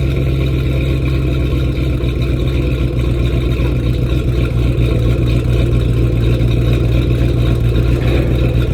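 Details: 2010 Ford Mustang GT V8 at idle: an uneven, loping pulse with occasional stumbles. Rough idle; the owner suspects bad fuel injectors, which is unconfirmed.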